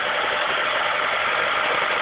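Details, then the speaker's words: 1991 Vauxhall Astra Mk2 1.4L, cold start with fresh oil and filter and new spark plugs: smooth, even idle with a steady hum and no knocks, revs easing up on the choke. Exhaust is new and not blowing; a healthy cold engine. "As you can hear, she's coming up on the choke now."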